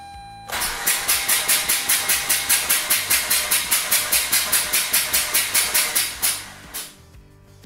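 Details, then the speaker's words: Mazda RX-8 rotary engine compression test, cranking with the crank position sensor disabled at about 143 rpm: even cranking pulses, with the rotor reading 29 psi, far out of spec, meaning a catastrophic leak. "29 psi that's way out of spec there's definitely some sort of catastrophic leak of some sort"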